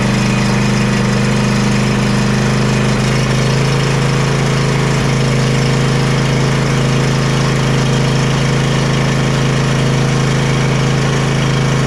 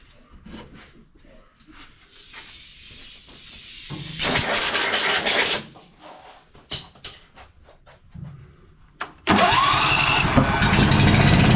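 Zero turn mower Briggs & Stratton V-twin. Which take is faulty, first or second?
second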